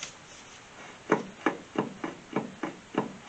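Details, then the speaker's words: 1969 Barracuda with Hemi swap and new Wilwood hub, drilled/slotted rotor and caliper, hub turned by hand: evenly spaced scrape-clicks about three a second; sounds better with caliper loosened, caliper suspected of catching. Finding: rhythmic scraping. "That would drive you crazy going down the road. Sounds better. I wonder if... Did you loosen it? Yeah. Oh. Yeah, I loosened the caliper. I wonder if the caliper isn't torquing and then it's just catching a front edge for some reason on something, one of those grooves or the, the slots, one of the drill holes"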